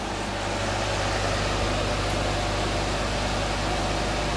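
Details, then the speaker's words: Electric motor after installing new shaft bearings, bench test run: steady even hum under strong fan rush, no grinding or bearing rumble unlike old bearings; successful repair, normal running. "the well the fan is making a lot of sound but there is absolutely no bearing sound now compared to the old bearings this is extremely silent so I would call this a successful repair a very success successful Repair"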